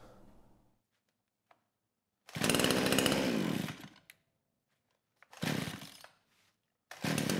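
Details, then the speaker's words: Kraftworld KW-5800 58cc Chinese chainsaw, run on straight fuel, low compression, suspected burned-up engine or crank seal; choke on, throttle at idle: catches in short bursts, sputters and dies, never holds revs; won't rev, runs only on choke. "and yeah that's that's all it does you know I spent quite a bit of time on the lost footage trying to tune the carburetor anywhere from one turnout all the way to three turns out"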